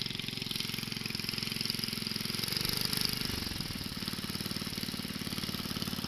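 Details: Wheel Horse 704 garden tractor Kohler single-cylinder, warmed up after recoil starter realignment, driving around the yard: even, rapid putter holding a regular beat, no misses or knocks; runs healthy.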